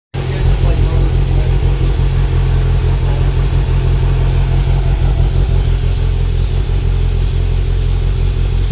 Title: 2025 slingshot rough idle